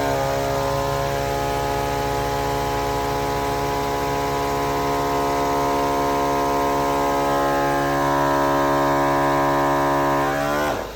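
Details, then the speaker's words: Napa Maxi Trac compressor on a DIY four-tire inflation system with pressure switch, tested on a Subaru Outback Wilderness inflating tires from 26 psi: steady, even motor drone with constant buzzing pitch for ten seconds, winding down at switch-off; healthy running. "Now when we flip this valve, the compressor should kick on and we should go."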